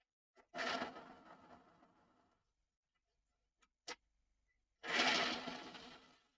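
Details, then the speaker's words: Model train locomotive motor, dead and straining one way, but in the other direction two short bursts of light high whirring spinning down freely, running fine; owner next plans to replace the brushes. "But it's not a happy bunny. But then in the other direction, as you can hear, it's fine."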